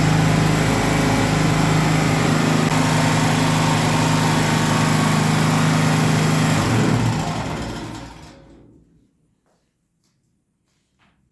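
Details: Gasoline generator that would not start and shut off after 5 seconds. The fuel inlet hose had been pinched between the air-vent frame and the engine frame, cutting off fuel. After reconnecting, smooth even buzz, then clean wind-down. Normal running.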